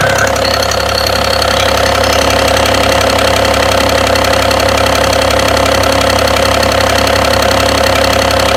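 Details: BMW engine at idle: regular repeating knock about two to three per second over a steady idle; cause not identified.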